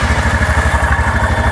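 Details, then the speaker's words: 2017 Cub Cadet Challenger 500 UTV after all clutches were replaced, clutch held still with a glove at idle: steady thumping idle with a light scraping rub on each beat, as the clutch shoes drag on the drum. "Hold it in place. You can hear it rubbing on that clutch drum."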